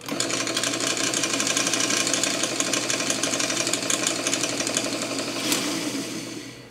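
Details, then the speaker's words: Ampex 600 tape transport in fast forward, after repair of playback clutch: busy, fast chattering rattle with loose rear rollers clattering about three times a second; fast forward clutch especially loud. "As you can hear, it's not the quietest. There's a little bit of rattle in these rollers at the back."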